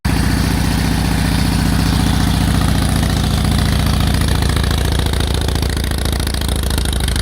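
Deep, even potato-potato thump from the big twin at a steady idle, no misses or knocks; sounds healthy.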